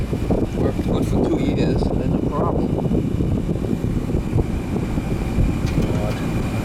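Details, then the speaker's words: Newer Ruud AC outdoor unit, not cooling until a loose wire connection was fixed, capacitor good: even compressor hum, smooth fan rush, faint steady high tone, cooling again; normal running. "nice and cold yeah sure we get a nice steady stream coming out of there let it run for a bit behind it's just a loose connection"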